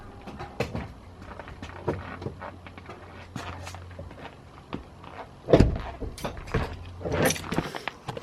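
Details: Irregular dull clunks and thuds in bursts from the rear of the car with a faint low hum behind, pointing to a loose rear suspension part knocking.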